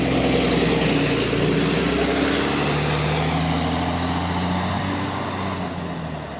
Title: Exhaust Leak 🔥🔥 | GAL EN29 On Bus Route 486 (Spot + 8)